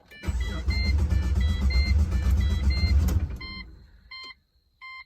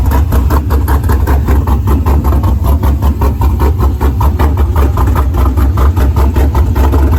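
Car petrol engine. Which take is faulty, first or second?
first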